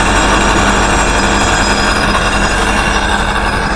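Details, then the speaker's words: Truck idling with newly fitted evacuation (vacuum) pump plumbed to exhaust: steady, even rumble with no knocks, misses or surging, no oil coming off dipstick hole and slight suction there; normal idle. "yeah running fine and see there's no there's no oil coming off the dipstick hole"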